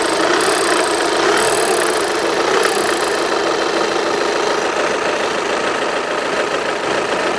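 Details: 2010 (60 plate) VW Passat CC TDI 140 Bluemotion, manual, 65k on the clock, diesel idling: busy high-pitched metallic rattle over a clattery uneven beat; cause unknown; a similar car lacked it.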